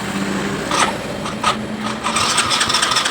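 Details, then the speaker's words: Yamaha Mio Soul GT scooter, fuel-injected, pushed in dead: check-engine light on and starter cranks in uneven bursts, but no fuel pump hum at key-on and the engine never catches; crank no-start, fuel pump not priming, injector wiring found spliced. "Tapi untuk rotanya enggak dengung sama sekali, Teman-teman. Coba kita cek, ya. Kita kunci kontak on. Tidak ada pergerakan untuk rotaknya atau dengung atau enggaknya."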